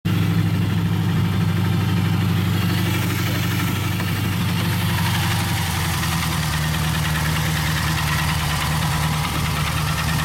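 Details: Pontiac Trans Am petrol engine idling with a low rumble and a loose, uneven knock of about three beats a second.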